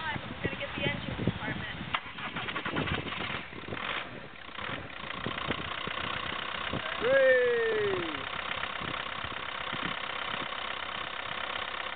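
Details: 2006 VW Jetta TDI that intermittently cranks but won't start, dealer finding nothing; retried after resting the starter and waiting for the glow plugs: uneven cranking about four beats a second that never catches; crank no start.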